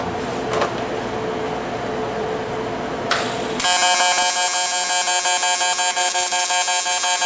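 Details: TIG welding a round piece on a barrel project: a steady high buzz with fast regular pulsing over the arc hiss, which is normal for the welder running in pulse mode.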